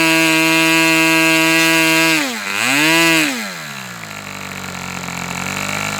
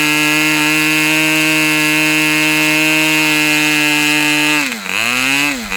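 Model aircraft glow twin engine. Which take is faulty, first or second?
first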